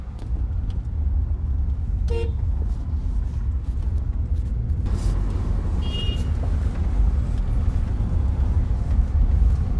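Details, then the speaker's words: Honda CR-V driving a rough, potholed dirt track after a front suspension overhaul and alignment: steady low road rumble with no clunks or knocks, where earlier loud clunking was heard, mic in the same place. "नहीं तो आपने देखा ही होगा कि बिल्कुल भी इसमें आवाज नहीं आ रही है मैंने सेम प्ले जगह पर माइक को प्लेस किया था पहले कितनी आवाज आ रही थी"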